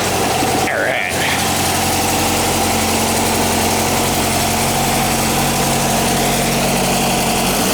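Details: 1959 VW single cab pickup, replacement air-cooled engine warming up after start: steady, even idle with a low, smooth beat, no knocks or misses; running cleanly, normal idle.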